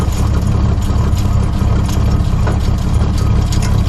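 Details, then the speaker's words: Barn-find 1973 Dodge Dart Swinger, 225 slant six, first start in 29 years after a seized engine was freed, with new battery, cleaned plugs and fresh oil. Deep, steady low rumble at idle with no knocking or stumbling; running smoothly. "let me know something so far nothing's on fire good news sounds good though"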